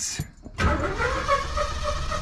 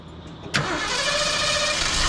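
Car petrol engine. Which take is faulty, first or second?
first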